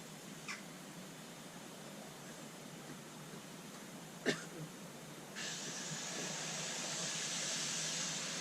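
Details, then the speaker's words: Silver Lady live steam model loco gas filling: steady hiss with a few faint spits, then louder spray out the sides of the filler jet, showing the gas tank is full. "So it just starts to spit a bit, and then it starts spraying out the sides of the jet, the filling jet. So that's filled with gas."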